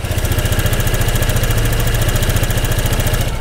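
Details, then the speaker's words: 2021 Honda SH 125 FI after fitting the correct gasket, recorded close up: crisp, even idle with a steady firing beat and no knocks or rattles; the engine now runs smooth and healthy. "anh em đã nghe tới tiếng động cơ tiếng động cơ Bây giờ nó nổ rất chi là giòn giả và nó đều đều ga anh em nhá"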